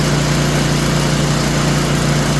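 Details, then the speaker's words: Craftsman snowblower engine at steady idle with a thin, high squeal; owner reports squeaking after he and a friend fitted a new belt; mechanic says it sounds like a bearing, cause not yet confirmed. "All right, let's go do some investigation on that squealing noise."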